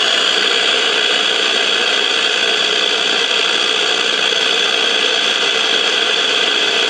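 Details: 1956 CBS 5-tube AM clock radio, not tuning stations, heard through signal tracer: loud unrelenting hiss, no station, noise feeding back through the whole set; suspected failing silver mica capacitors in the IF transformers.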